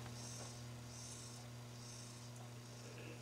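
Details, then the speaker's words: 1965 Motorola AC43BR clock radio after clock motor oiling and reassembly: faint steady mains hum with slight soft whir, much quieter than before; finding: normal quiet synchronous clock motor hum. "much much much quieter than it was before it's just a hum now and a slight little noise um about as loud as i remember them from back in the in the day so i think that's fixed"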